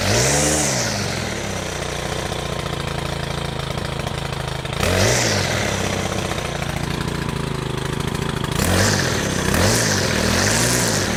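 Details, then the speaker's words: Stihl FS100 brushcutter with a 4Mix engine, during service: the engine revs up and falls back repeatedly, with a dry, rasping whirr from the gear head on each rev; the drive gear head is dry and needs grease. "Right, this sounds quite dry as I'm revving it, so I'm going to give it a bit of grease."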